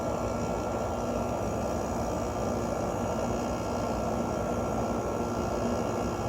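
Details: Emerson Quiet Kool 6,300 BTU window air conditioner: compressor failed to start at first, ran on fan and warmed with a heater, then started; smooth steady hum, even fan rush, no rattles or ticks; normal running.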